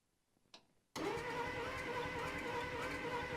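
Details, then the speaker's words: 1949 Plymouth Special Deluxe sitting 30 years in a pasture, first crank; starter spins steadily about three turns a second with no catch; no spark, points suspected corroded or worn, distributor cap and rotor to be removed; crank no start. "yeah no spark no spark man it sounded like it wanted to go at one point it did sound like it but I'm sure the points are just a little a little old little fried"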